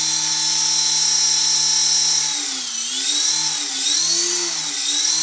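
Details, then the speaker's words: EXI-450 RC helicopter spooling up, with the main gear wobbly from the factory and the main shaft wobbling with it: a high whine wavers and pulses with a rhythmic chopping noise; cause unconfirmed. "do you hear that chopping noise and look at the look at the main shaft looks kind of wobbly but i'm it's wobbling with the main gear"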